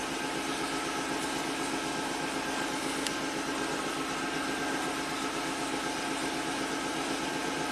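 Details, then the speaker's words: 1990 Buick Regal GS V6 with a severe low-power complaint, restarted after its injector was tapped: a smooth, even idle with no misses, knocks or surging. Live data shows IAC 35 and MAP 11.8, so it is running normally. "I don't hear any misfires let's take a look at Live Scan data oh yeah that's that's what a V6 should sound like and feel"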